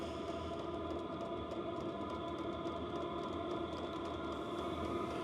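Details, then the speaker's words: 8KW 12V diesel air heater with 5L tank, turned up from low to high: the fan whir speeds up and the fuel pump ticks a little faster, normal operation. "Now it's speeding up. You can hear the pump ticking."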